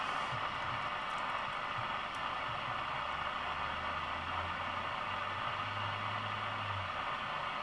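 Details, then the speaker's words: National Panasonic RQ-434DS boombox radio on test: steady hiss across the dial with faint whistles and no station locking in; the front end is working but not receiving stations. "so it is trying to pick up things so the front end is working"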